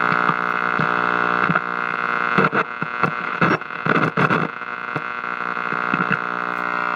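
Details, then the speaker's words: 1960s GE C403G clock radio after two capacitors were replaced to cure hum: the audio still sounds garbly, a harsh steady buzz and hum with crackling bursts through the speaker. Exact faulty part not yet found. "Sounds very garbly."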